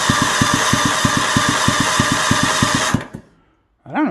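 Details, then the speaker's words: Troy Bilt GTX 20 engine, said bad by a mechanic, cranked on the bench with spark plugs installed: even regular compression pulses about three a second under steady starter whine, no odd knocks; normal cranking. "it sounds pretty good to me what do you guys think"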